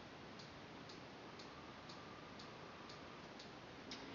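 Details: CBR 2 ultrasonic motion sensor on a TI-Nspire (DataQuest app), measuring a book about 15–18 cm away as it is slowly moved back toward the sensor. Sharp, even clicks about twice a second over faint hiss: normal ranging pulses.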